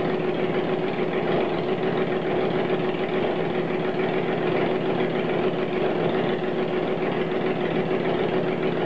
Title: 1st start after rebuild